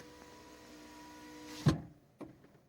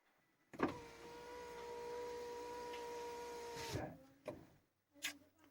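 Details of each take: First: Fiat 500 power window motor hums steadily, then ends in a sharp knock and a second thump when closing or opening the window; strange knocking noise before repair. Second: Fiat 500 power window after tightening a loosened screw that caused knocking when closing: window runs smoothly about three seconds with steady motor hum and clean stop; noise fixed, normal operation.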